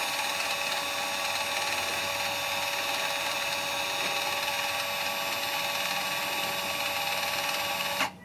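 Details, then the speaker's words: 2020 Mitsubishi Outlander 4WD (North America) rear electric parking brake, full release commanded for pad/rotor replacement: steady high electric whir about eight seconds then clean cut-off as caliper retracts; wheel then turns freely, normal release. "uh on you can hear it it's retracting let's wait for a few minutes"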